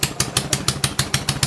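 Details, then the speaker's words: Honda Ruckus scooter with a fabricated rear frame, first start: small single idling with loud, sharp, raw puffing about six times a second from an exhaust leak at the header, fitted without a gasket and leaving a gap. "Oh, wow. It actually runs. It sounds like it's leaking. I don't have a gasket on that exhaust there."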